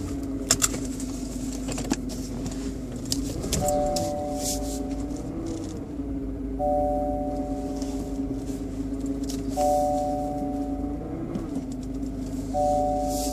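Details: BMW 120i E87 quiet idle: thin motor-like whine rising, holding and fading about every three seconds, seemingly from behind the airbox; oil change did not cure it, cause unknown.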